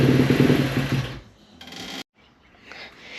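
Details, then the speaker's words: 2017 KX250F after rebuild, unstarted for weeks, running on intake cleaner spray: fires briefly then fades and stalls within a second despite idle screw and choke tweaks; a fuel issue is still a maybe. "So we messed with the idle screw and choke, trying to get her to stay running. Trying to figure out if it's just too low of idle, you know, it's been first time put back together, or if it's a fuel issue, which is still a maybe."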